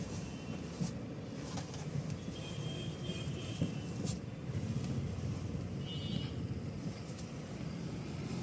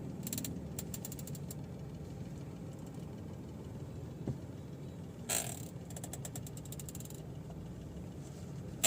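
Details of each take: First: Mahindra XUV300, engine running, after repairing a noisy steering column that an earlier repair had not fixed: the wheel is swung quickly lock to lock with no clunk, knock or creak. Quiet steering. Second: Mahindra XUV300 at idle with the steering wheel turned left and right: scattered dry creaks and ratchety ticks from the steering column, feeling as if something is jammed and noticeable while driving; the column was repaired with grease.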